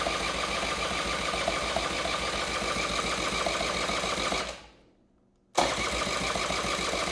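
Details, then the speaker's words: 1984 Honda Spree scooter that sat unused for years, on the third start attempt after refilling the carburetor float bowl: it buzzes unevenly with quick sputters and a brief cut-out, then picks up as the fuel works through. "oh oh we're getting a little sputtering so it's getting there I think it's just the fuel has to kind of work its way up in there"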